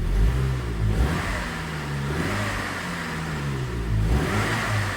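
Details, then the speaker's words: 2002 Saab 9-3 SE 2.0t LPT manual: slight throttle blips bring a hollow rising woo-woo whoosh that fades; worn turbo, though it still boosts and drives fine, with smoky startup. "Yeah, that's a worn turbo. Even though it now runs fine, it boosts, it drives, everything like that, but you can hear the sound."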